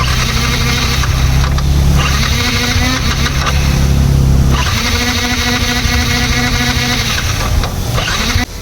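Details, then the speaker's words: Yamaha MT-15 after a long time off the road: a strong, even starter whirr with churning pulses about three a second, but the engine never fires; a Flipkart-bought starter motor lacked power. Cranks but no start. "Motor மட்டும்தான் ஓடுது engine start ஆக முடியல"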